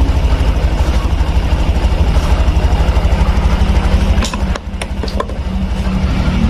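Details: Honda Beat 2021 on first start after an engine rebuild, following an injection-system problem: low, even putt-putt with a steady beat, a brief dip and clicks. Normal idle.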